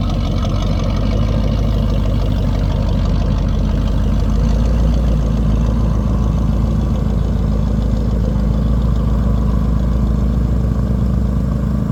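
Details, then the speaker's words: Chevy 350 V8 square-body 4x4 after fuel line replacement fixing a fuel leak and no start: deep even rumble at idle, steady beat, no miss, tick or knock; idling normally. "Quick fuel line replacement. Started up not too long ago."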